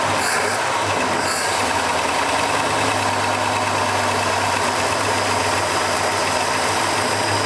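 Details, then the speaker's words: 1972 Pontiac LeMans barn find with single exhaust, running after sitting 20 years and an earlier backfire: loud, steady V8 idle with an even low rumble and no misses or knocks; runs smooth. "20 years there had been sitting, purring like a kitten."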